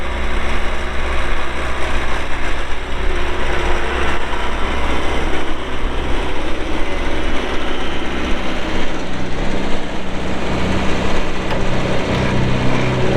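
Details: 2020 Bobcat T590 skid steer loader, 2,220 hours: steady, even diesel run with a deep low drone and no knocks, misses or surges; normal engine running.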